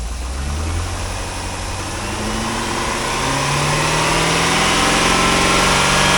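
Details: 2005 Chevrolet Corvette C6 with 6.0L LS2 V8, automatic, Corsa mufflers, warming up at a wrecking yard before part-out: deep, even burble climbing smoothly in pitch as revs rise, with no knocks or ticks; sounds healthy.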